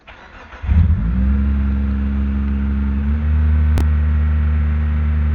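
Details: Proton Waja MMC manual with a Mitsubishi Airtrek throttle body, TPS reading 625: engine catches and holds a steady, noticeably high idle that won't drop. Throttle body, gasket and ECU mapping issues found, mapping blamed in the end.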